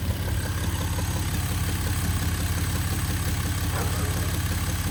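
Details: 2011 Jeep Wrangler JKU, new noise after an oil change (filter changed to WIX, synthetic additive added): low, even rhythmic clunk at idle, about two beats a second; owner unsure if engine internal or a worsening exhaust leak.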